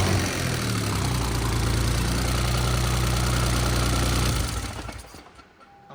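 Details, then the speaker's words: First start of a new replacement engine in a GR Corolla build after the old motor was torn down: steady, even high idle with a firm low hum, no ticking or knocking before shutoff, sounds ready to make power, normal. "got that high idle going it's got that high idle sounds like she's ready to make some power"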